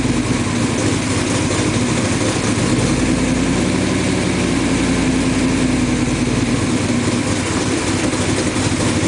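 Steady, even idle beat with no misfire stumble or uneven pulses throughout; the engine is running smoothly and healthy.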